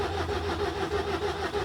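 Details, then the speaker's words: 2018 Ford Transit 2.0 EcoBlue diesel with cold hard-start and rough running, after injector replacement: steady rhythmic cranking churn, no catch or firing, rail pressure climbing toward 250 target, time limit exceeded. Fuel not primed. "right so I've exceeded the cranking time on that but for now then what's the way I believe it's like 15 minutes rest time on this"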